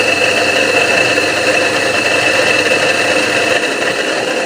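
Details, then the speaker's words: Half-hp donkey water pump motor before bearing replacement, run directly from power: loud rough whirring with gritty rattle at steady speed; worn motor bearings. "बस की आवाज़ ए गई होगी कितनी आवाज़ दे रही है तो हमने इसका ये मसाला हाल करना है आवाज़ का"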